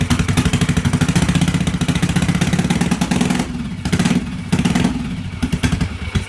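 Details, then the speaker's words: 1986 Yamaha XV750 Virago V-twin, first start after winter with Gen1 KJS single-carb manifold, old gas, dirty carbs, choke disconnected, cold: lumpy stumbling pulses with level dips, not holding steady idle; runs rough, needs carb tuning. "it's going to need some tuning it's definitely going to need some tuning old guy stinks but at least she fires up so that's a good thing"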